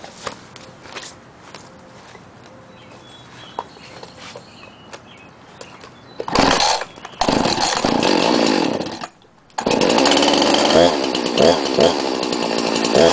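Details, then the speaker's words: 2005/2006 Husqvarna 346XP chainsaw, cold start with muffler totally cold: a few pull-cord rasps, fires and runs strong, dips briefly and picks back up cleanly; normal cold start and run, saw leaks bar oil. "as you can see or you could hear it starts up and runs just fine"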